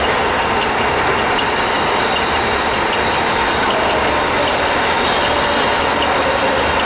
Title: knuth lathe DL550B machine running with spindle gear engage having abnormal sound